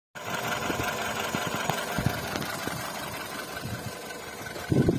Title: VW Polo 9N3 1,6 BTS 77kw engine noise